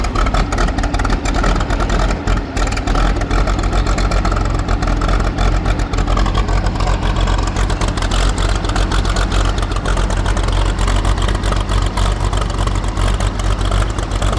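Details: Case 500 diesel tractor at about 65°F, just after starting: deep, steady diesel clatter with even firing and no misses or knocks; settles into a healthy run.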